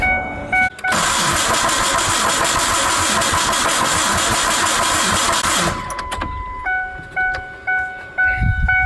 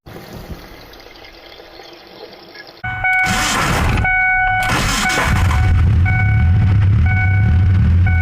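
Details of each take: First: 2001 Ford Ranger, rebuilt 4.0 engine, sat 2.5 years, no-start, neutral, clutch in: harsh, rough crank about two beats a second for five seconds, then stops with chimes; abnormal cranking noise, almost like rod knock, starter suspected; later fixed by repairing grounds. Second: 2001 Ford Ranger, rebuilt 4.0 engine after sitting 2.5 years, first start after adding half a gallon of fuel (tank was empty): catches and settles into a steady, even run, low rumble, no knocks or ticks; needs coolant, has oil, sounded good.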